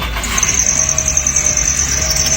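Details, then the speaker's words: Car running with a steady, piercing high-pitched squeal from the accessory belts, which may be dirty or wrongly fitted. "las bandas de distribución del auto bandas de accesorios. A veces las bandas están sucias, también puede ser que están mal armadas o armaron mal la banda y por eso empieza a rechinar y hacer un sonido constante mientras el auto está funcionando"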